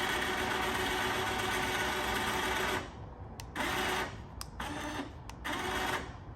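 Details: OPENROAD 3500 lb winch on a Honda Foreman 400, run out then in by wireless remote: long steady motor drone, then short even bursts as the line is jogged in; motor sounds healthy.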